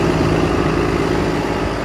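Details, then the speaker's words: 2013 Ford F750 bucket truck, 6.7 L Cummins diesel, 6-speed, 82k miles: even, steady diesel clatter at idle with no knocks, misses or surging; normal healthy idle. "Let you hear the motor a little bit. Sounds perfect."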